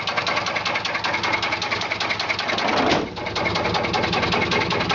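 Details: 1995 Chevy Silverado 4.3 Vortec V6 at rough idle: loud, fairly uneven knock about once per second from inside the engine; battery also keeps discharging; cause unknown.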